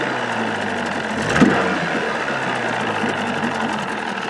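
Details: 1979 Evinrude 35hp two-stroke outboard idling under its hood with sound-deadening insulation, about 80–83 dB beside the motor and 76 dB two feet back: an even, muffled burble holding a steady idle with no knocks or misses; healthy and quiet.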